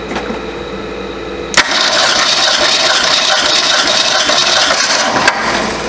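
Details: 1967 Ford Mustang coupe, sat 22–23 years, cranking on a compression test, before new spark plugs; steady, even chug of three or four beats a second with a bright clattery top. Good compression.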